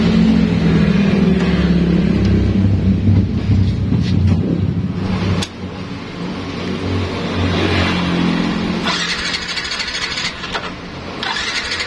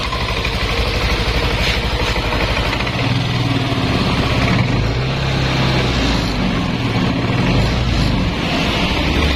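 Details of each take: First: Yamaha Nmax scooter: electric starter spins the engine over steadily for several seconds but it never catches. Fuse, spark plug, coil and ECU checked normal; the fault lay in the electrical wiring. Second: Yamaha Nmax scooter after repair of a wiring fault that caused crank-no-start: steady single-cylinder putter at idle with an even beat and no misses or sputters; runs smoothly again.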